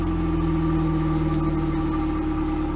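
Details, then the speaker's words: 1998 Pontiac Sunfire idling after the factory muffler was replaced with an OEM Walker muffler: smooth steady low idle, soft even exhaust note, no rasp, rattle or leak puffing; much quieter than the old muffler. "sounds way better we're testing to see if there's leaks anywhere"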